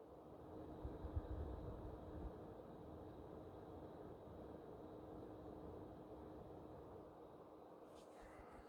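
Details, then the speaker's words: PS5 CFI-12 console with an NMB version 1 cooling fan at about 811-815 rpm; quiet, steady airflow hush with a faint even hum and no rattle or ticking. Normal fan, slightly louder than the NMB version 3. "this one has really a good sound too and for me this is a bit louder than the n&b version 3es"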